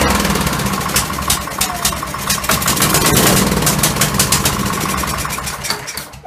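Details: Kohler Courage SV540 20hp single-cylinder tractor engine, over a thousand hours with valves never adjusted (owner blames valves for earlier no-start); restarted with valve cover refitted, runs with a busy, fairly even beat for a few seconds, then shuts down.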